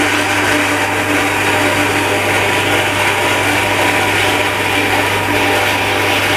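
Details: Shimizu Satelit 3-inch submersible pump with APC SC-015E automatic pressure control as the water runs out: steady hum under harsh rushing hiss and rattle, sucking air; dry-run noise.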